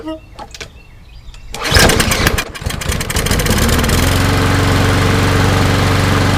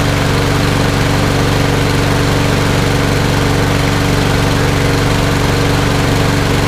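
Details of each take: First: Toro Recycler mower, Briggs & Stratton EX engine, cold first start after flushing water from the gas, possibly residual water: sputtering cranking catches, stumbles, then settles to a steady run; flooded with too much two-cycle oil mix. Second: Toro Recycler mower, Briggs & Stratton EX OHV engine, after flushing water from gas tank and carburetor and replacing the air filter: steady, even engine beat at constant speed, no misses or surging; runs good.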